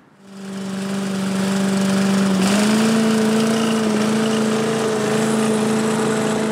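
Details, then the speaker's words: 1985 Billy Goat leaf blower with a Briggs & Stratton 8 HP engine, after a new fuel tank, spark plug, oil and air filter. The single-cylinder climbs quickly to a steady, even drone and holds smooth; it runs healthy with no misses. "it runs pretty good yeah real happy with that"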